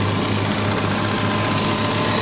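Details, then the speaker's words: Salvage-auction car with front-end damage: steady, even idle with a smooth low hum and no knocks, misses or hunting; normal, healthy idle. "well guys she's running great it sounds great this is a pretty straightforward fix"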